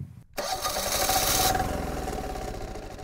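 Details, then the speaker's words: MEP-531A military generator diesel, cranked after priming the fuel system: catches with a sharp burst then an uneven, faltering, stuttering beat because air remains in the injection lines; it then stalls. "so it did start to get fuel so now it's gonna stutter for a little bit because it's barely got the air out of the injection system side of it it may or it may not stall out"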